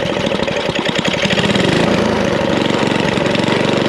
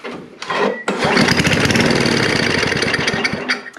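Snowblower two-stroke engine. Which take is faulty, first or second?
second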